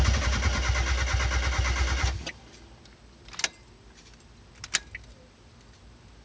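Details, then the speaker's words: 1991 Mazda Miata, two days after a new clutch, fuel pump failed, suspected jumped timing, loose injector refitted, new pump not heard priming: starter churns steadily for two seconds but never catches; crank no start, cause unconfirmed. "he fixed the fuel the fuel injector that was loose it's no longer loose but it still won't start"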